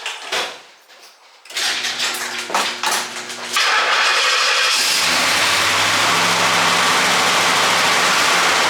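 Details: 1968 Pontiac GTO with automatic transmission and Champion radiator, first start after fitting a fiberglass OPGI fan shroud: starter cranks, engine catches and settles into a steady, even idle with no scraping or rubbing from the fan area; normal running.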